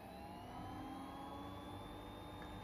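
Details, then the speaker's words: Boley F1 lathe's 50 W three-phase motor on a VFD near its nominal maximum 2700 rpm: quiet, steady hum with a clean, even whine and no roughness. Runs smoother than on single phase. Normal. "this is the nominal maximum rpm of 2700 and running it on three-phase besides getting the stepless variable speed in here it actually runs a lot smoother then one single place"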